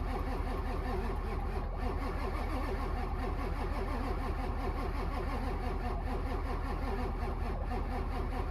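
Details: Ford 7.3 Powerstroke diesel with 740k miles, not started in months, cranked in winter: slow, even cranking beats at roughly two and a half per second go on and on without the engine catching; no start.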